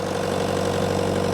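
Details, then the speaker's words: Bobcat T300 skid steer diesel with hydraulic issues still unresolved; steady, even idle with a smooth low hum and no knocks or misses. Motor sounds good. Normal idle. "Motor sounds good."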